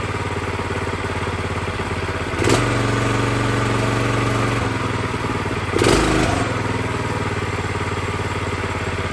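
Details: Brand-new Predator 212cc single-cylinder engine on a plate compactor, first start with fresh oil and gas, idle raised slightly: steady, even putter with two short throttle blips settling cleanly back to smooth idle; healthy.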